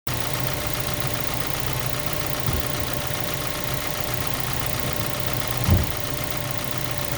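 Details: 2005 Mazda 3 at idle after running 1-2 quarts low on oil, no check engine light, metal shavings found in the oil: a faint, regular light knock under the engine note, a mild rod knock.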